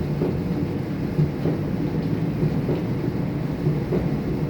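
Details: Kenmore 70 series dryer running: low rumble with a loose thump under a second apart as the drum turns; owner suspects bad tub or rollers.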